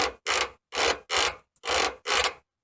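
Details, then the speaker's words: Rear shocks and end linkages on a Formula car: six slow dry squeaky creaking groans, about two a second, as the car is rocked; owner suspects worn shocks and sloppy linkage rather than bushings, not confirmed. "most of our noise coming from these shocks that parts the end linkage I would really expect to be sloppy in"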